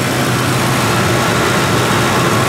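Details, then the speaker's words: Ford 2-valve 4.6 V8 after new Dorman intake manifold replacement, cold day, warming up at idle, coolant about 140, thermostat not yet open: steady even low hum, no knocks, ticks or hiss; running smoothly, healthy. "God, this is running so good."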